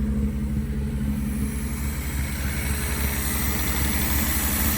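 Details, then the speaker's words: 1973 Mercedes after carburetor swap, no muffler: loud open burble at slightly high idle with even pulses and no misses; normal idle. "It's got a little bit of a burble tune on it."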